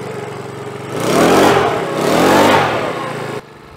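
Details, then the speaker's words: Makita BHX2500 four-stroke leaf blower after service with cleaned air filters, started with some choke: steady idle, then two smooth revs dropping cleanly back to idle; healthy running, starts easily. "that's beautiful sounds like a little mini bike so that started really well and I believe they're an easy starter all the time"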